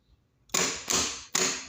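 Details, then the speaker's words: Opel Corsa CDTI starter removed and bench-tested: three sharp clicks about a second apart with no spin, solenoid engages but motor won't turn; direct feed to the brushes just sparks, indicating worn-out brushes. "as you can see I'm going from the big one to that small starting right it's just clicking and then I'm putting direct into the brushes direct for the wire goes the brushes just sparking so indication that it shows that brushes are finished"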